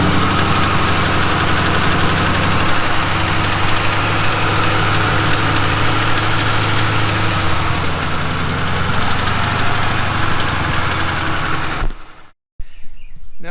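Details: 2006 Mustang GT held at raised revs: rough, uneven mystery knock/tick over a deep drone, unchanged after replacing timing chains, guides and tensioners, updated cam followers and a Melling high-volume standard-pressure oil pump; source unknown.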